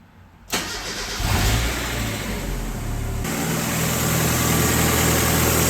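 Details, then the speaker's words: Cold start after an exhaust leak fix, with the stock O2 sensor refitted and the wideband removed; it had poured smoke from the bottom of the header before. Brief crank, catches, and settles into an even, steady idle with faint belt hiss. Normal cold start. "don't feel it. That's just the belts making that hissing noise. It was just pouring smoke before out, right from the bottom of the header, so I don't want to fucking rev it on cold start."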